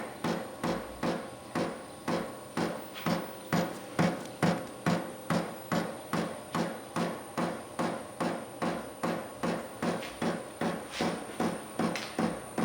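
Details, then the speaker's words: 8 kW Vevor diesel heater in a 600 sq ft shop, still cold at startup: steady even ticking about two and a half beats per second as the dosing pump primes and pumps diesel, speeding up as it runs; normal. "oh now I hear it hear it Knocking so now must be pumping diesel to it"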